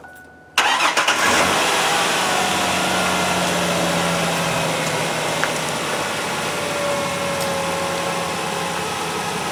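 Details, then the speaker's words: 1999 Ford Ranger XLT V6 after replacing the fuel pump assembly for an intermittently failing pump, battery a bit low after weeks unused: a brief crank, then it catches instantly into a steady, even idle; normal start. "she lives to drive another day cranks right up"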